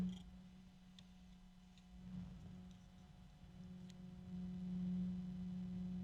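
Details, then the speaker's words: Rosewill RFA-120-K 120 mm sleeve-bearing case fan running: steady low hum near 190 Hz with faint higher tones and a little rubbing; pretty quiet for now, expected to get louder with age. "Sleeve bearings. And it's pretty quiet. It won't stay that way because it's sleeve bearing. You can hear a little bit of rubbing."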